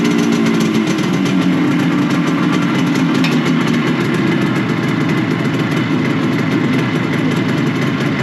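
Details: Classic Benelli 250 2C two-stroke twin, fresh off the workbench, started from cold: loud, ragged idle with uneven crackling firing and wandering pitch. It runs rough while cold, smoking, with a sticking clutch; afterwards it feels okay.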